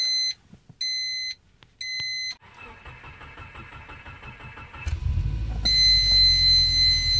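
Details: Car hot start: warning chimes, then the starter cranks steadily for a few seconds without firing cleanly; hot start crank, no start.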